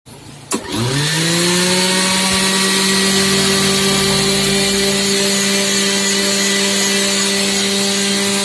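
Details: Mixer grinder after repair: motor spins up within a second to a steady, even high whine with no rattle or grinding; grinder running smoothly, normal running.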